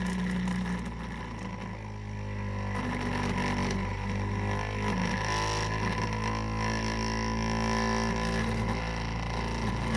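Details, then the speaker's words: 3D-printed maglev motor with hall-sensor circuit, spinning fast and speeding up when the coil is pulled back; steady hum with rough buzzy clatter. Back plate is causing the racket and needs rework. Rotor rattle from back plate. "I have to figure out the back plate that's what's causing all that racket"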